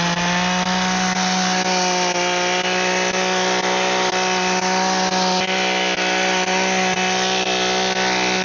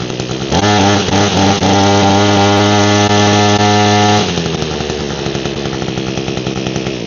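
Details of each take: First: Echo two-stroke hedge trimmer after repair (broken primer bulb, dirty, cleaned up), cutting bushes: steady high buzz with constant tone and rapid blade chatter through branches; trimmer running and cutting normally. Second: Echo hedge trimmer with a broken primer bulb and fuel of unknown age, started on choke. The two-stroke holds a steady, busy idle with no blade chatter because the cutter blades are locked up: seized hedge trimmer blades.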